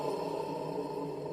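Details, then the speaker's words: Brastemp Clean 10 kg washer that was weak and noisy on spin, belt removed and motor running alone: steady droning hum with a rough whirr. Motor bearing noise, suspected from water reaching the motor, e.g. an earlier hose leak. "o motor rolamento do motor para mim na minha concepção no ela jogar sempre água dis que lavava lá três quatro vezes por semana foi muita água nesse motor"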